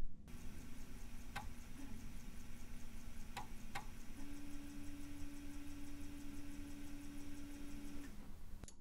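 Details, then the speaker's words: Teac FD-55GFR 5.25" floppy drive on NEC UF0001 USB adapter via 26-to-34-pin converter, saving a larger file: quiet, uneven head-step ticking, sharp clicks and steady motor tone for minutes; repeated seeking, driver/controller suspected. "i know you can hear the drive is doing a thing and now this will continue for a few minutes"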